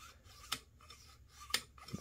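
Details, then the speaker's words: AR-15 gas block/tube alignment, lubed bolt carrier (bolt removed) slid by hand: light metal scraping with a sharp tick at each stroke as the gas key hits the gas tube lip; tube turned too far, being readjusted. "there you can actually hear it hit so that's not what we want"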